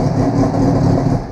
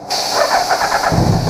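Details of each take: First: 2000 Suzuki Hayabusa GSX1300R, start-button wire grounded to bypass fault, C13 IAP code present, fuel in tank: fires right up, runs briefly with even deep rumble then eases; starts cleanly. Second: 2000 Suzuki Hayabusa GSX1300R: rough start and lumpy idle, won't rev until fuel tank is pressurized with an air hose, then revs; insufficient fuel pressure, pump weak or clogged.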